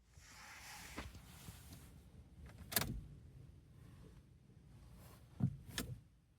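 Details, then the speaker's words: 2012 Vauxhall Astra 2.0 CDTi diesel, no crank with P0615 starter relay control circuit: key turned, no starter whir, only a few soft relay clicks a second or two apart. Cause was a lost starter relay earth. "So there we are. That was probably the easiest fault I've ever had to confirm. It does not crank when turning the key."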